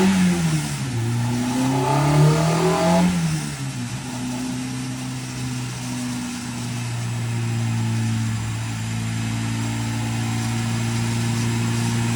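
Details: K-swapped Miata on dyno after moving VTC solenoid to a different ECU half-bridge output: engine revs, drops back, then pulls strong and even without misses or knock; VTC now working, power shelf gained (235).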